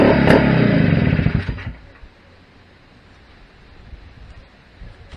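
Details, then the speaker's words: Restored Greeves two-stroke motorcycle at first start-up after project rebuild: crisp rapid crackle revs under two seconds then fades into distance; healthy, though owner suspects calibration off, slightly underpowered, maybe gearing. "Well, that sounded all right. Uh, yeah, calibration might be a little bit off."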